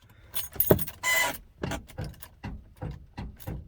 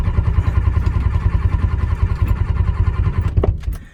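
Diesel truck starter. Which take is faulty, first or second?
first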